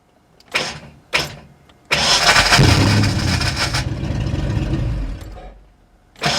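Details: 1989 Ford Mustang GT first start after sitting over 10 years, fresh oil, fuel flowing through rail: a few short cranking bursts, then catches and runs steady for a few seconds before dropping off; engine starts.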